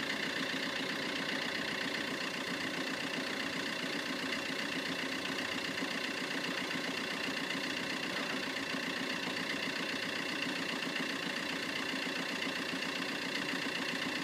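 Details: Vauxhall Corsa ecoFLEX at cold idle, problem present from new, which Vauxhall calls characteristic and won't fix; loose, uneven beat around two per second over hissy background, like a cylinder intermittently dropping out: cold-start misfire.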